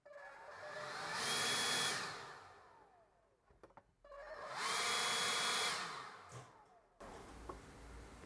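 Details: Ryobi cordless leaf blower after repairing the burnt high-speed switch, with a fully charged battery: two clean spin-ups to a steady high whine, held at full speed then coasting down, no cutting out or stutter; normal full-speed run.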